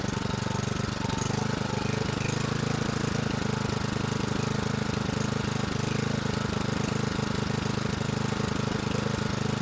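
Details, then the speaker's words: 2011 Toro Recycler mower model 20376, just after blade brake cable replacement: slow, uneven, lumpy idle with wandering beat; sounds like low RPM, about to raise RPM by bending the governor spring tab; fluctuation heard, Seafoam planned. "right now it it feels feels like it or sounds like it's got low RPM so I'm going to do that"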